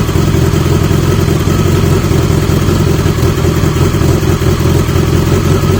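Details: 1980 Yamaha XJ650 motorcycle after fitting different used exhaust pipes: a deep, steady, full exhaust rumble with even firing and no rattles or leaks standing out; it sounds much better than before.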